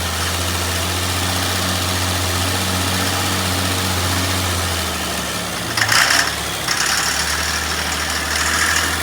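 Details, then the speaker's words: Jeep Comanche MJ after long sitting, first time running, oil checked and cranked to circulate: rough idle with a faint light tick over the hum, then a brief blip; owner hopes valve lash or lifter tick from sitting. "sweet well it runs I'm hoping that that was some valve lash you know some lifter ticking because it's been sitting"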